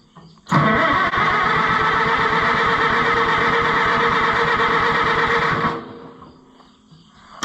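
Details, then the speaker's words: Oliver 66 tractor after long sitting: steady rhythmic cranking for about five seconds that never fires; smells flooded, possibly no fuel; later found no spark, points suspected corroded. Cranking no-start. "I think there should be one more it's not any gas in it come on baby doll it smells flooded"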